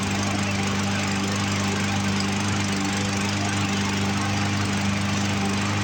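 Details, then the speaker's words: Poulan Pro push mower, Briggs & Stratton 550EX, carburetor not yet disassembled, running after carb cleaner and pulling fuel from the tank but failing to prime: uneven, loping beat that stumbles and skips; carburetor suspected. "Didn't want to prime, and it's still kind of running a little rough. I don't know if you guys can hear it skip on camera or not."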